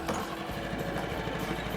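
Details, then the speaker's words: New Hidea 2.5–6 HP outboard restarted warm after running a moment, without choke: catches on the first pull and settles into an even, steady putter with no misses; choke needed only after cooling down for hours. "it starts right up so if you're out fishing or driving around or exploring a lake and you're turning the motor off occasionally you don't even necessarily need to use the choke unless it's been sitting overnight or for several hours and totally cooled down"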